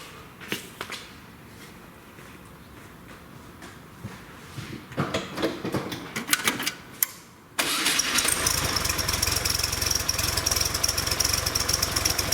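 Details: Volkswagen after fixing an intake vacuum leak: an intake stud had pulled its threads, and the head was helicoiled. It had idled rough with a bearing-like noise. Now it catches after a few cranks and settles into a steady, even idle with no hiss.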